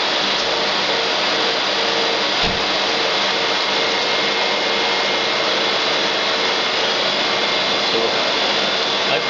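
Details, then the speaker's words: Electric AC compressor in a Nissan Sentra converted to electric, 120 V battery system, about 12-13 V and 129 V measured: smooth steady airy whir with no knocks or grinding; everything seems fine, running normally. "so everything seems fine the compressor sto working so let me see if I caness you can hear the compressor now"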